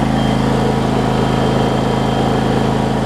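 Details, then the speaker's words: John Deere LX277 riding mower with broken primary deck belt, low hours: smooth regular single-cylinder putter about three beats a second, steady, no misses or knocks; runs great. Normal idle. "let me start it up for y'all because it does run it runs great actually"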